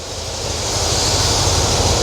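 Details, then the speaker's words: Cadillac with new RV cam, rebuilt A/C and new electric condenser fans, idling with A/C switched on: steady even rush of fan air over a smooth low idle; fans running normally, A/C cycling as set up. "We're going to flip the AC on. You probably couldn't hear the fans cut on, but they're"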